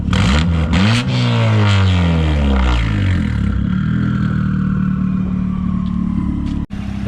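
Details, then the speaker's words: Fully built 2010 Mazdaspeed 3 drag car, basically up to temperature, good oil pressure: revs rise and fall a few times then settle into steady even idle, no knocks or ticks; everything sounds good. "everything sounds good I've got everything in here looking good"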